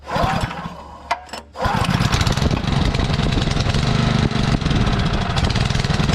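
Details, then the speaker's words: Sterling Honda-clone 6.5 hp engine on 3-inch trash pump, previously seized, primed and started on choke: after a couple of pulls it catches and settles into a steady, even putter with no misses; idles smoothly. "oh even idle's nice take a little water over the top here"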